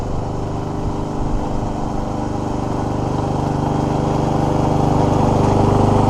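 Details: Free scrapped Troy-Bilt mower with Honda GCV160 engine that cut out when using self drive, running after warm-up and an oil level fix; fast, even single-cylinder beat with no stumbling or cutting out, running properly.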